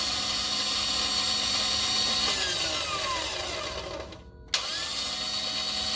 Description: my oem 03 4runner starter cranks but won't start or turn/ engage the flywheel died at 408,465.